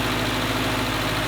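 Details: 1948 Willys Jeep cold start: steady low engine rumble, even with no knocks or misses, the engine just caught and not yet ready to idle while warming up; normal cold start.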